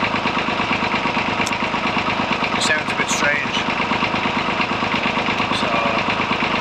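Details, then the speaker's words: Massey Ferguson 35 three-cylinder diesel from the 1950s, fault present since new: idle clatter with uneven beat stumbling now and then, smoke puffing; intermittent misfire on same cylinder even after swapping injectors, owner suspects something blocked in the pump. "it start to sounds like it's misir which I think it is you look at the exhaust smoke see I got a clearer view you can hear no changing see it popping out every now and again"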